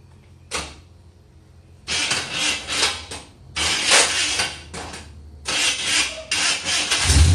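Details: 1966 Chevrolet Impala with 350 Chevy V8 and Turbo 350 transmission, first start after 22 years unrun: repeated cranking bursts, then the V8 catches and runs in rough, uneven spurts as the old engine wakes up after long storage.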